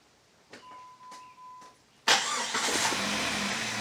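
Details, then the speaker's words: 2000 Jeep Grand Cherokee, 4.0 Power Tech, 211,000 miles, after replacing O2 sensors for a P0171 code, microphone near the engine: short chime, fires cleanly and settles into a smooth, even idle with no misses; normal idle. "Plugged them in, fired it up. She runs good."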